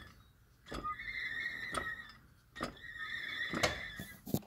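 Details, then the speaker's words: LS-swapped Jeep with a 4L60E transmission, driveshaft turned slowly by hand: a high, scratchy squeal of about a second with each forward turn, none in reverse. It seems to come from between transmission and transfer case and is heard only at low speed. "i turn it backwards nothing in reverse only when i turn the drive shaft forward strange"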